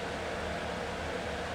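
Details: B&Q 7-litre digital air cooler after repair, at speed three in a 27° room while cooling: smooth, even rush of air with no ticking, rubbing or wobble. The fan runs steady and healthy.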